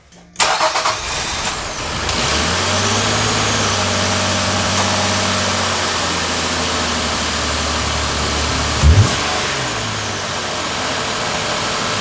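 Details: 2018 Infiniti QX60 3.5L started after spark plug replacement, throttle body cleaning and intake plenum refit: quick crank, clean catch, smooth even idle with steady low hum, no misses, knocks or ticks; sounds healthy.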